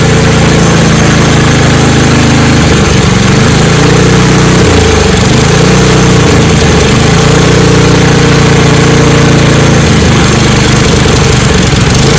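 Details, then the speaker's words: Snowblower being repaired for not starting or cutting off (fuel system/carburetor), already run once so not primed, choke halfway: small engine holds a loud, steady run with slight speed wavering, no stalling; running properly. "I'm going to change the choke control and then you can hear the engine running I shouldn't have to prime it since I've already ran it once but here we go again choke is somewhere in between"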